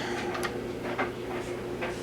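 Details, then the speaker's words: JVC TD-W75 cassette deck after repair of its squeal, playing tape: quiet even whir with light ticking, no squeal or rising tone; transport runs smoothly. "Oh yeah, baby. We're cooking with gas now. Sweet."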